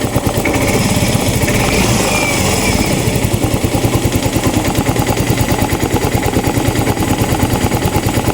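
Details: Yamaha Mio i 125 (M3) that misfires and smokes: stumbling idle with irregular pops. Misfire suspected from the throttle position sensor out of adjustment (reads 74 after setting to 66); O2 sensor also unresponsive.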